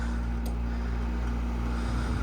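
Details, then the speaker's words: Grandmother's air conditioner after annual cleaning, fan switched to medium speed. A steady low hum, even motor drone and soft airflow, no rattles or scraping. Normal fan, medium. "I don't think I went through the speeds on this one. Let me do that real quick. Medium."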